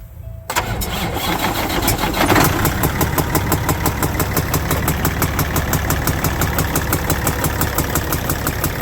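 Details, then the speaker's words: Kenmex truck with a Cat C15 diesel starts and idles with a sharp, steady pop about three times a second through the intake, suspected rocker arm or valve train problem. "now generally when I've seen this or heard this before and there's the Ken mix I'm going on the other side it's usually a rocker arm or valve train problem"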